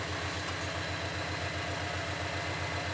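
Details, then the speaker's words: Subaru BRZ after the Deatschwerks DW300 fuel pump was refitted: a smooth, consistent idle, steady pulses about four per second with no stumbles or misfires and no check engine light, much better than before the fix. "The car's idling a lot better. So far so good. No check engine light. So, and even in the idles it's actually very consistent."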